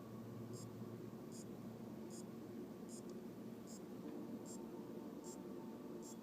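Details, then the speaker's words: AOpen LCD monitor that will not power on, after replacing capacitors and checking diodes, rectifier and transistor: power supply, refitted, makes sharp light clock-like ticks about every 0.8 s over faint hiss; source component uncertain. "este me encuentro con que hay un ruido pare parece como el de un Ah reloj y no estoy 100% seguro de dónde viene el sonido"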